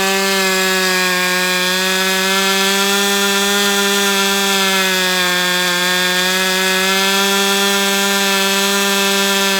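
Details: Brat 28 model glow engine running: a steady high buzz with a constant whirring like drag, plus bubbles under the glow plug and dark oil at the exhaust. It sounds tight and strained, cause unclear.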